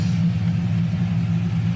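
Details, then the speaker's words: 1999–2006 Silverado/Sierra V8 after head gasket replacement and BTR Stage II truck cam install, single-in single-out Flowmaster exhaust, no check engine lights; deep, steady loping rumble with no knocks or misses; normal idle. "steady i don't know if you guys can hear it but we lopping we are loping"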